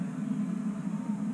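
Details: Homemade waste oil heater ver 3.0 burner on vegetable oil, drip-fed slightly faster than once a second, at about 750–800 degrees, door sealed and extra air-hat holes; a steady low roar with slight flutter, no sputtering or popping; normal even burn.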